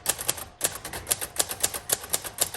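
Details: 1956 Royal Quiet Deluxe manual typewriter, typing test: crisp, even keystrokes at about four per second, each a clean snap with no dragging or sticking; typewriter working properly.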